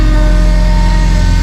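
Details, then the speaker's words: Subaru Forester STI build with stock longblock and Precision 6870 rotated turbo, cold start in the high 20s to low 30s °F: loud idle with a steady high whine on top; power steering pump whine, which may need more bleeding. "so if you guys hear a whine it's definitely going to be the power steering pump maybe we need to continue bleeding it"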